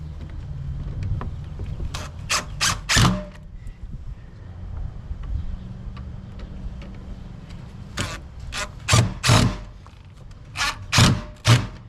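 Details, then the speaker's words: Drill driving cheap screws while assembling a Harbor Freight Franklin 30x16 plastic cart: short bursts of rapid sharp clicking and chattering between quieter spells as the bit slips and strips inside the screw heads. "That sound is the sound of my drill bit stripping inside these cheap screws."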